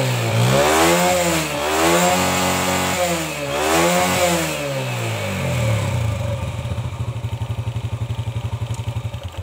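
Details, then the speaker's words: Yamaha Jupiter Z after carburetor cleaning with petrol and air-screw adjustment: blipped a few times, then an even, steady idle with no misses. Normal running. "ini sudah saya coba kita hidupkan sudah Enak suaranya kita tinggal buat berjalan keep Apakah nanti ngadat atau tidak"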